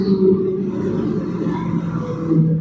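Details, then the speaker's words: Maruti Eeco on test drive: steady low droning hum over road noise that starts and grows as speed rises; traced after removing wheel and drum to the center, a failed rear wheel hub bearing. "देखिए, हमने पहिया खोलकर drum निकाल लिया है। यह शोर इसके केंद्र से आ रहा है।"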